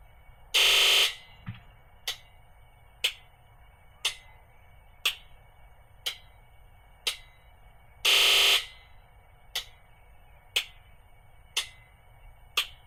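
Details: International DT466E diesel truck with cold-start misfire, injector buzz test after sitting over 24 hours: one long shrill buzz then six evenly spaced clicks about a second apart; all six injectors now respond (earlier only two did).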